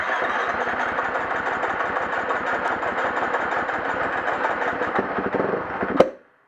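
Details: 2011 350 XC-F, hard starting: long stretch of steady cranking and sputtering that never catches cleanly before cutting off.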